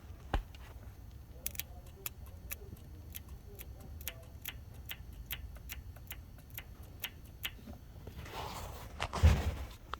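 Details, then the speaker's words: 2014 Ford Expedition 5.4 SOHC, engine off: the left-bank cam phaser oil control solenoid, jumpered to a battery pack, clicks faintly once or twice a second as it actuates. It had been stuck in full retard, causing misfires on cylinders 5–8. "you can hear it actuating so now i don't remember how this thing ran before ran terribly"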